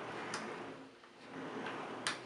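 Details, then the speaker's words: Live-steam model locomotive chassis rolling freely on needle bearings; two light, sharp clicks about 1.7 seconds apart from the oil pump ratchet wheel stepping normally. "la roue à rochet de la pompe à huile, mais ça, on en parlera prochainement."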